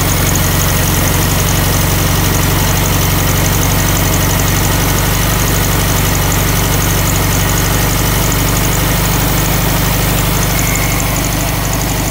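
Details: 1964 VW Beetle low rider, air-cooled flat-four, idling after carburetor readjustment (butterfly set): steady, even low rumble with no misses, surges or knocks; normal healthy idle.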